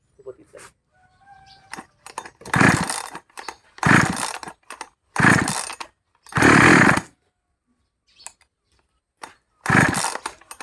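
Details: Model 5200 chainsaw, hard to start and noisy: several short loud bursts of engine firing, each dying out in under a second; loud running and hard starting, cause not yet found.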